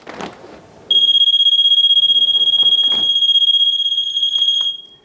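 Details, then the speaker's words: Poolguard DAPT-WT pool door alarm, 9-volt battery: a loud, steady high-pitched tone starts the instant the door opens without the pass-through button pressed and holds about four seconds. The alarm is working properly. "which means the alarm will sound immediately if the door is open and the pass through switch is not pushed. I'll demonstrate that."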